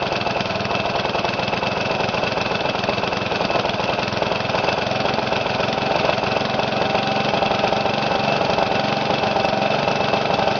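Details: Briggs & Stratton mower engine, first run after new piston rings and gaskets, governor readjusted after overspeeding: holds a steady, even speed with no hunting or surging; normal running.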